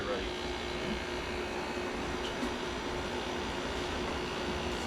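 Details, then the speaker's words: Hampton Bay (Fedders) HBT120A 12,000 BTU air conditioner after cleaning and fan bearing replacement, fan and compressor running. An even, quiet hum with no grinding or rattle, though some vibration comes through the housing. Smooth, healthy running. "This might be one of the quietest 12Ks ever. Doesn't doesn't even touch that area. Oh, no. I know that. I said one of them. It is a lot quieter than much. It sounds really nice though."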